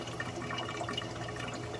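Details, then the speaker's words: Clear Water Scrubbers CW-50 algae scrubber on a Red Sea Reefer 250, fed about 185 gph (rated 200): continuous bubbly gurgling and sloshing over a low hum as the drain bulkhead sucks air; owner suspects too much flow. "it's almost like there's a suction or something coming from the pipe and it's just calls them like this gargling sound"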